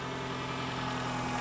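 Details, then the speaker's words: Toyota RAV4 that came in for hard steering, idling after the fix: smooth, even hum with steady pitch and no ticks or stumbles, and the battery light that had stayed on is now off. Normal idle. "So as you can hear, the engine is running and the battery light is off."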